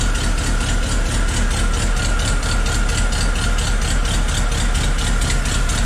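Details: Willys Jeep engine just restarted after fuel-system work, left choked, in neutral: loud uneven idle with a loping irregular beat about once a second and some rattle; rough idle, cause not yet known, alternator not charging.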